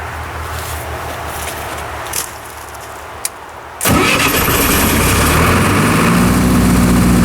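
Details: Military surplus diesel generator, after years of sitting, tested outdoors under large overload: diesel fires and settles into strong, even, steady run with little droop and no spurious trips; healthy.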